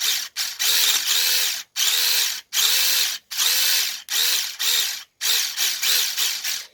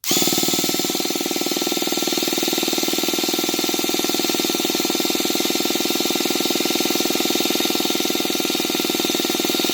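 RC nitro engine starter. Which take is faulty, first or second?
first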